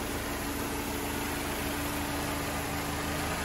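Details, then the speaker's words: Mercedes 190E recommissioned after sitting in a yard, exhaust leak traced to the downpipe, not the manifold, now resealed: steady even idle with a soft low hum, no ticking, knocking or exhaust puffing; sounds healthy. "Sounds beautiful."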